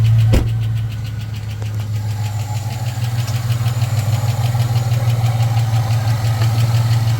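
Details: Supercharged (Edelbrock E-Force) LS-based 2008 Chevy Tahoe, noise began while driving: deep droning idle with a light, fairly regular tick about three times a second on top, a failed lifter; lifters replaced.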